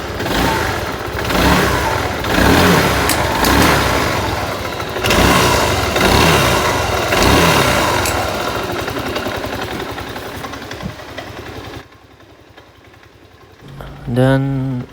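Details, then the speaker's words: Yamaha Aerox 155 scooter with the odometer at 138: engine runs coarse and uneven at idle and light revs with a harsh, lumpy note; rough running, cause undetermined. "itu suara mesinnya ya teman-teman suara mesinnya sangat kasar dan kemungkinan kemungkinan"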